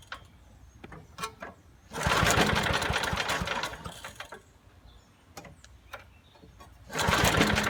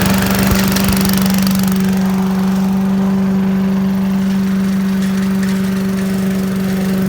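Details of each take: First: 1980s Billy Goat vacuum, turpentine-smelling old gas, carb cleaner added, spark weak: two pulls each give a couple of seconds of quick rattling spin with no firing. No-start. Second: 1980s Billy Goat vacuum: the small single-cylinder engine holds a steady buzzing drone with no misses or surging. It needs extra pulls, maybe low compression, but runs well.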